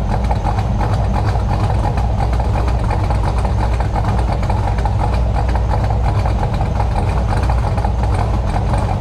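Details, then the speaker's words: LS engine after replacing the aftermarket header gaskets: choppy, loping cammed idle at about three pulses a second, with no ticking or puffing from the headers. The header leak is fixed, with no leaks, drips or errors, though the mufflers sound odd. "damn thing sounds good i don't know what kind of muffler he has on these things"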